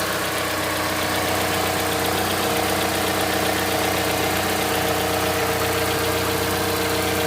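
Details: Mazda CX-5 Skyactiv 2.5 cold start, warming up: steady, fairly quick tapping over the idle, roughly four per second, starting about 50 seconds after start and later stopping; cold-start knock, owner asks if normal, cause unknown.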